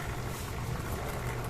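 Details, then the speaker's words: Motorcycle chain after cleaning and lubricating with a Koby chain maintenance kit: only a steady, even idle hum with no rattle or grind; the chain noise heard before is gone and the drive now sounds smooth and quiet. "Ayan o, tanggal yung ingay. Kanina ang ingay to. Ngayon oh, ang smooth na. Wala nang ingay."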